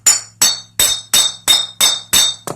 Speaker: That's when you know copper is done gotten hard. So we're going to go ahead, go heat this back up, get it annealed again,